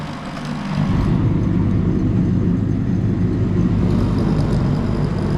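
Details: Draper IR20 diesel/kero shop space heater after new burner nozzle, power cable, fuse and circuit board fix: burner lights after a second, settles into steady even low roar without sputtering or pulsing; firing normally.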